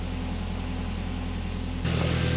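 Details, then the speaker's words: Audi TT mk1 1.8T, first start after replacing the original 130k fuel pump with a Sytec 300 LPH pump, without waiting for it to prime: steady pump buzz under idle, engine catches cleanly and revs evenly. "I didn't give it chance for Prime I just literally just automatically tried to start in the car but you can hear it buzzing away it was work"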